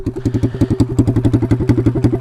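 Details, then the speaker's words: Taotao DB17 125 pit bike, single cylinder, whose exhaust pipe has come off while riding; raw, loud, rapid unmuffled popping under throttle, running effectively straight piped. "that's probably why yeah i don't know if you can see this we kind of just straight piped our bike"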